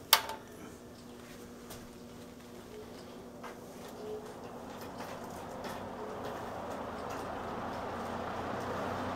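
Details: 1958 Westinghouse 20-inch two-speed box fan, all steel, hexagon motor, on low speed: soft, smooth whoosh building steadily as the motor comes up to speed, no rattle or ticking; normal running.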